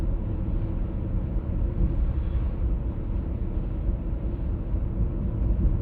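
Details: 1996 BMW E39 523i automatic (pre-facelift): steady low droning hum under road rumble while cruising, heard at 50–60 and 70–80 km/h, no knock or squeal; source unclear so far.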